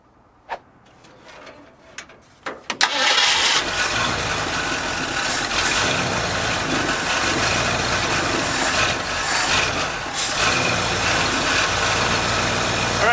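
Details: 1973 Ford Bronco 302 V8, revived after 10 years in storage: a few cranking attempts, then fires and runs loud but uneven, surging and stumbling, no smooth idle; vacuum leak suspected, timing later found way off, mixture screws being set.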